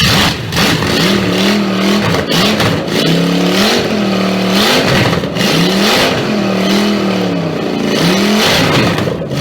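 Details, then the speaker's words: Triumph Stag V8 on a test bed after full rebuild, after correcting carburettor adjustment; strong V8 rising and falling through repeated clean throttle blips, picking up crisply and settling evenly, normal healthy running and revving. "That's gonna be one mean some bitch."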